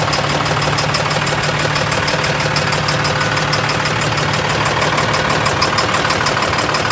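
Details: An idling engine with a steady, sharp knock repeating about three times a second over the running sound.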